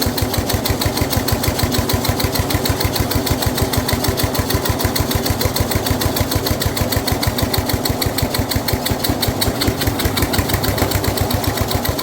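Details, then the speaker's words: Snapper rear engine rider, Briggs 12 HP single-cylinder, abandoned for years, new carburetor: steady fast idle thumping, slightly laboured and uneven, as mower blade turns when it shouldn't; runs well otherwise, blade load made starting hard. "The blade is turning, by the way, so we are fighting that. It shouldn't be, but it is."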